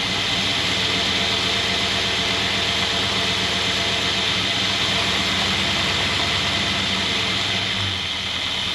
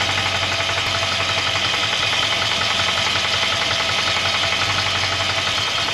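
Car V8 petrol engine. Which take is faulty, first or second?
second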